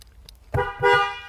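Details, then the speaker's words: Toyota horn after clockspring (spiral cable) replacement with the airbag pad reinstalled: two short, clean horn blasts at a bright, steady pitch with no rasp or cutout; the horn works properly. "Horn works."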